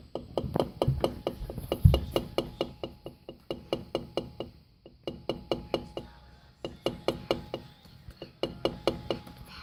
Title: Kenmore Elite LG MC57LAUM knocking noise